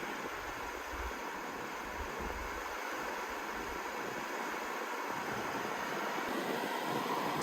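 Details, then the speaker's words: 2005–2010 Pontiac G5 heater/AC blower: a steady rush of air at one constant fast speed in every switch position, never stepping up or down; failed blower motor resistor. "If you turn it to the first position, it feels like it's blowing fast. There's the second one, still the same. The third one, nothing's changed."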